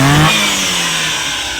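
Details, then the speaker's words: Multicab with F6A engine that had low power: the fuel pump was the cause and has been replaced. Now a sharp rev blip falls away smoothly with a clean pull and no stumble, and the idle has returned. "ganda na ng arangkada niya mga boss"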